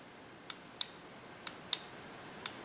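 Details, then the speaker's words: Replacement EGR solenoid (substitute for discontinued part on 305 TPI V8 third-gen Camaro/Firebird/C4 Corvette GM) bench-tested on a 9 V battery: sharp, crisp clicks in pairs, about three pulls in three seconds, clean snap on and off; solenoid actuates properly. "you can hear it click when I put 9 volts on it so I'm actuating that solenoid"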